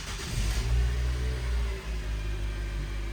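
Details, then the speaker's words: 2013 Nissan Sentra after repair of rough idle and shaking via coil packs and spark plugs: deep, steady idle settling right after start with no stumble or shake; no fault codes; normal idle. "while ago you see the bottle water was moving and this time you don't feel any Shake"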